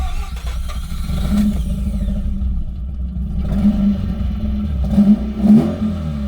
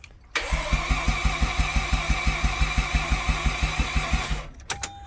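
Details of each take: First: Mazda RX-8 rotary, after missing fuel pump fuse was fixed, possibly low on fuel: catches and runs with an even buzzy note, blipping up and settling back smoothly, sounding healthy. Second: Mazda RX-8 rotary: starter turns over at an even rhythm, about six beats a second, for four seconds with no firing; no fuel reaching the engine because the fuel pump fuse is missing.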